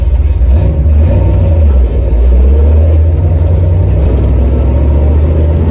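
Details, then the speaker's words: 1970 Chevy Nova big-block V8, after replacing the failed water outlet O-ring with a paper gasket and RTV to stop a coolant leak, run up to about 6200-6300 rpm in a burnout test; loud, steady roar, no knocks, misses or rattles, healthy high-rpm rev. "all right just going to run it up a little bit probably about 5 6,000 see what she does here woo yeah wow holy crap she likes to eat that's for sure that was probably about 62 6300"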